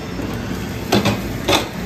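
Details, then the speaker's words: Pitco fryer auto-filter cycle, filter pump's breaker tripped: drain valve opens to drop oil into the pan, two short sharp clunks about half a second apart over a quiet hum; valve actuating normally. "can hear that valve just opened all right now it's dropping the oil into the pan"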